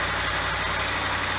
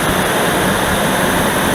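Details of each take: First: Dodge Dakota V8 cold start after removing the fan clutch: steady even idle with soft low rumble, no fan roar or whoosh; settling within a minute; normal cold idle. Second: Dodge Dakota V8 on a cold first start: a loud, steady rushing roar from the viscous fan clutch, nearly fully locked, buries the engine note and is expected to subside as the engine warms. An electric fan is being fitted to replace it.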